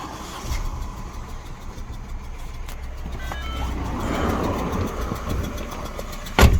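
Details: Mini R56 with N12 engine, new plugs, good coils and fuel pressure, timing checked: uneven stumbling idle with irregular pops and one sharp bang, backfiring through the inlet.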